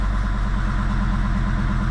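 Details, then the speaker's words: Jeep Grand Cherokee WJ 2.7 CRD (OM612) diesel that smokes a lot, about 10 minutes into running with a new oil filter and the water-in-diesel light on: lumpy idle with hard repeating knocks. Misfiring and knocking at idle. "well we are about 10 minutes in and the water in all no in diesel lights came on and then a lot of misfiring and a lot of knocking noises but still R very"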